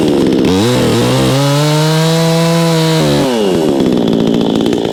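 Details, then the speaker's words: Vevor 20-inch gas chainsaw, freshly started with choke off, cutting a 4x4 and going through like nothing: revs up, drops slightly and holds an even, strong pitch through the cut, then frees up cleanly; normal running under cutting load. "Tell you what, I'm impressed so far. I know that was just one cut. It's going through there like nothing."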